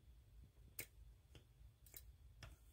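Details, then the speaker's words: Holley 4-barrel carburetor on 1970-72 Chevelle, after replacing float pan gasket and accelerator pump diaphragm, lever worked by hand: three crisp clicks about half a second apart, no sucking or hiss; diaphragm moving normally. "you can hear that moving correctly"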